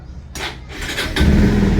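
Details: Bajaj Pulsar BS6 after the side-stand sensor was cleaned and refitted: brief starter whirr, then it catches within a second and holds a steady idle in neutral.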